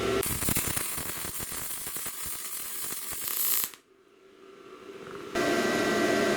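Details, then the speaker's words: Bestarc MIG 145 welder welding steel slightly thicker than snowblower sheet: steady crackling sizzle, a pause, then even again; normal MIG welding arc, wire speed set automatically from amps. "it works really good, guys. I'm really impressed. Easy to use."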